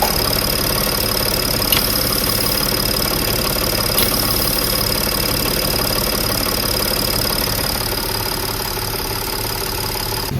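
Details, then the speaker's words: Audi A8 D5 diesel at idle with a swapped-in replacement intake manifold that did not change the noise. An even pulsing tick three to four times a second, felt at the pump feed line; faulty high-pressure fuel pump. "Я уже дошёл до того, что я берусь за подающую трубку на ТНВД. И вот звук пульсирующий именно с ТНВД. Как вот пульсирует ТНВД."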